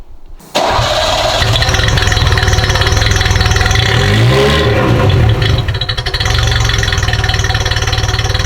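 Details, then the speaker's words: Ferrari 308 warm restart after a slight counterclockwise adjustment: catches quickly, settles into steady, fairly even idle with a brief blip; sounds a lot better, possibly just from being warm. "Maybe it's because she's warm, but it sounds a lot better."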